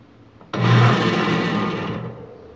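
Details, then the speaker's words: Mytec electric fan switching on with a loud low hum and harsh scraping, blades barely turning; the motor shaft shifts forward, and the rotor or the blade hub may have come loose. "Lo que pasa es que cuando lo prendo hace un ruido y apenas se mueven las aspas y pues no gira."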